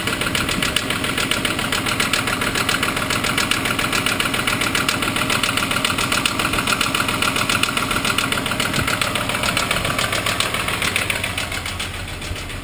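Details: Mk3 Golf VR6 at idle with the oil light flashing: sharp, regular metallic knock near two per second, loud over the engine; deep knock suggesting oil starvation.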